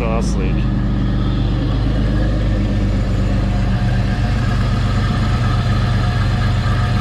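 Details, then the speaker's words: 1984 Pontiac Fiero with 3800 V6 swap, idling after replacing reused header gaskets and adding a V-band clamp: steady deep even rumble, no ticking or puffing, exhaust leaks fixed. "leaks well i'm happy with it sounds a lot better"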